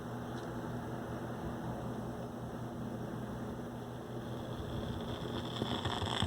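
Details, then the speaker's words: Fisher 400 tube receiver with fresh output tubes, which played well for a couple of hours and then failed: constant hiss with irregular, increasing crackles and pops, and one side's plate voltage fluctuating instead of a steady ~420 V; bad output transformer. "you're gonna hear what a bad outfit transformer sounds like"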